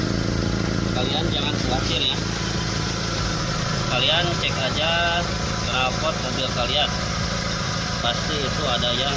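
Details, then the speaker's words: SS pickup at idle: a low, uneven rumbling drone ("ngorok") confirmed to be caused by exhaust leaks, the worst at the rear underside. The fix is to take it to an exhaust shop and weld the pipe. "Jadi sudah dipastikan bahwa suara ngegorok itu terjadi akibat ada kebocoran dari knalpot."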